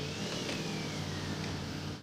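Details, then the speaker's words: Range Rover L322 4.4 TDV8 on the road, recorded with the mic held out of the window: a thin, high whistle rises and falls with revs from idle, plus a small tick. The owner suspects the turbos are whining. "Porque el ruido sube y baja con las revoluciones, no se activa en cierto RPM. Incluso cuando estás en ralentí y empiezas a acelerar el motor, sigue ahí. Es que cada vez que aceleras, suena como si una patrulla me estuviera siguiendo, lo cual es bastante inquietante."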